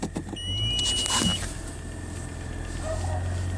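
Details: 2007 Toyota FJ Cruiser, VHF radio on, before the fix: a thin, high whine in the radio speakers over the idle that rises briefly with revs and is worse when driving. Alternator whine, with grounds good; a homemade power-line filter later cured it completely.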